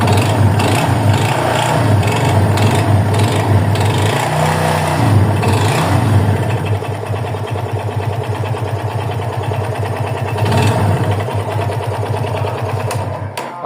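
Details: 2021 Yamaha FZ25 motorcycle: regular light tapping following the idle rhythm over a steady engine note. The owner raises it as a problem and asks whether the noise is normal.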